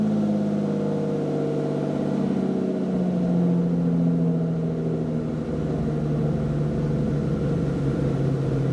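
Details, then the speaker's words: Lamborghini Diablo VT V12, a garage find, started right up on a restart: a smooth, deep, even idle settling a little lower after the start, no knocks or misses; healthy. "wow yeah that is that is a very nice sound"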